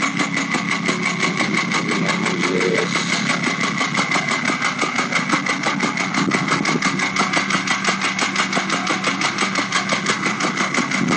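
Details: Porsche 996 (late) 911 Carrera 4 at 68,000, warm idle after a drive, oil level OK: fast regular metallic ticking about three per second, noise gone when lifting off throttle; suspected fuel pump, actually internal engine failure, engine replaced.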